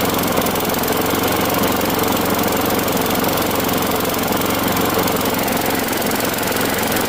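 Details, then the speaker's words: Craftsman Gold mower, Briggs Quantum 6.75 single-cylinder, after fitting new aftermarket spark plug: steady even buzz at constant speed, no hesitation or surging; runs properly. "Now, with this new plug that's installed, even though it's aftermarket, it runs at a perfect speed now."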